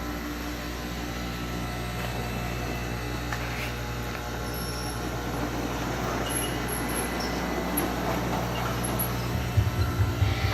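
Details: Elite Marble Company automated sink and backsplash grinder with conveyor on auto at speed setting 1, the lowest running mark. Steady low motor hum with an even conveyor drone and no knocks or grinding surges; running normally.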